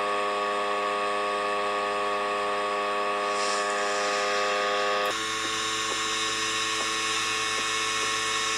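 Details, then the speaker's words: PS5 Slim console with a loud steady high buzzing hum, a sharp change partway and faint ticks, from either the detachable disc drive or the cooling fan, not confirmed; loud buzzing. "so as you can probably hear in all these videos there's a really loud buzzing sound that's coming from either the disc drive or the PS5 Slims cooling van"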